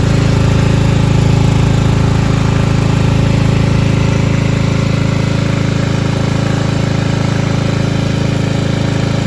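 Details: 1995 Craftsman LT4000 lawn tractor single-cylinder engine after removal and sump gasket replacement, no battery fitted: smooth, steady idle with even low beat, no misses or knocks; idling nicely, healthy.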